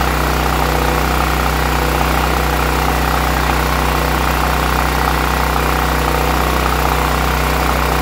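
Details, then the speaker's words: Westinghouse WGEN9500 generator that surged on bad gas, now running at a steady, even speed after the old fuel was pumped out and fresh gas added. "and there we go ladies and gentlemen that fixed our problem"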